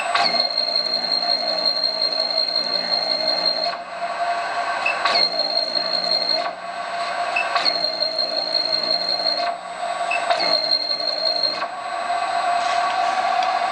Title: Buzz Sound Servomotor